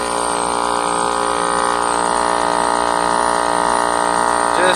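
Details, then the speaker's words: Trane package heat pump, house at 76 with thermostat set to 70: loud, steady droning compressor hum with strong buzz, gauges show high and low sides about equalized, liquid line only slightly warm; compressor running but not pumping. "It's cold. And this is just a little warm. So it's like we're running, but we're not pumping."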